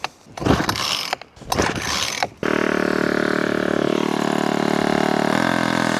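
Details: Small engine in remote off-grid cabin setting, after carburetor work and throttle stop adjustment, started on full choke: catches and runs with an uneven, unsettled drone, never smoothing out. Rough running persists after the repair attempt, cause unclear.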